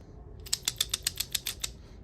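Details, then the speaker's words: PCV valve from a 5.7 Hemi Jeep, shaken by hand during an oil catch can install: about ten crisp, light ticks at roughly seven per second. The internal ball rattles freely, so the PCV valve is good. "how you know your PCV valve is good. You hear it? Just wanted to confirm that."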